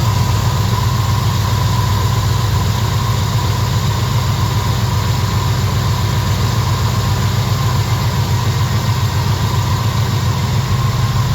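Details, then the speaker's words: Small-block Chevy V8 with big cam after carburetor swap, vacuum leak fix and timing correction: steady, even low rumble at slightly high idle, no misses, stumbles or knocks; idling smoothly, now drives under own power. "It's actually running decent. It actually moves under its own power now."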